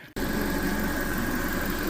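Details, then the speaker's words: Car engine idling steadily with a faint constant whirr after repair, once wrong fluid sent aluminum through the engine. It is running on dish soap and water to warm up and flush; it sounds healthy. "well it's running put back together for the most part"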